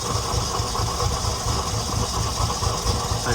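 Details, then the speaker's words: Nissan 300ZX being tested for misfiring, warming up after a slow cold start: idle stumbles with an uneven, skipping beat, rises briefly after a rev, then sags again. Misfire with dropping idle, which improves once warm. "Well, that's uh I guess it did it better. Faster up. It's going down again."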